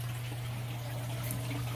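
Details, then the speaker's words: GE 45-gallon electric hot water tank refilling after both heating elements were replaced, valve opened, with the house pressure tank kicking in: steady low pump hum under trickling and gurgling as water enters the tank; normal refill. "you might hear it kind of gurgling a little bit that'd be the water coming into the tank now this pressure tank just kicked in"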